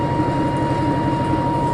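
Heavy steady roar with a constant whine on top as the drum spins up fast, the rumble of destroyed drum bearings.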